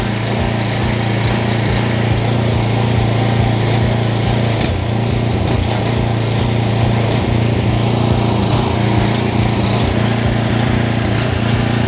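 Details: JCB pressure washer after restoration, water hose and gun connected, trigger held with nozzle removed because the unloader valve is uncertain. Steady, even engine drone with a firm low hum and no misses or surging; healthy under load.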